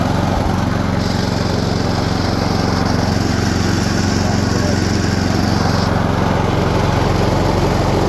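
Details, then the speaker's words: Two-stage snowblower with small engine, auger engaged while frozen with ice (owner thinks it's jammed with ice; belts later found destroyed): engine thumps steadily, then a thin high squeal for about five seconds as the auger won't turn freely. "now I can tell already that it's not going to spin again I think it's jammed up with ice"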